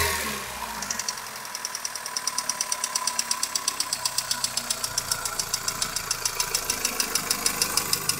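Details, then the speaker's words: 21-year-old engine, warmed up after a frosty night: a sharp, even metallic knock repeats several times a second over the idle and worsens once warm. Source not yet found; the engine needs repair. "Хороший стук всегда сам вылезет, да? На 21-летнем двигателе уже и пора бы. Вот. Лезет. Прогретый."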